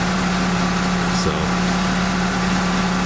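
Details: Mitsubishi Outlander started after repair work, still cold: even, steady low hum with no knocks or misses, just a touch of cold-engine roughness; a healthy idle while warming up.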